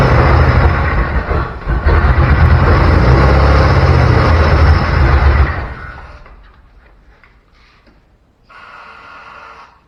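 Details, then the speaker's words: Chevy C10 short bed truck, parked 16 years, intake spitting dirt and nests. Engine roars and revs for a few seconds, then fades and dies. Runs only while bottle-fed fuel by hand, run briefly to listen for bad noises. "i just i want to hear run for a couple minutes even if i have to bottle feed it so i can hear if it's making any really bad noises"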